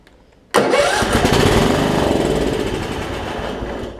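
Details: Craftsman LT1750 riding mower (Kohler engine), long-stored, gas being pumped to prime the carburetor, owner suspects crud in the tank; crank burst briefly sputters and fades without settling into a run, struggling to start.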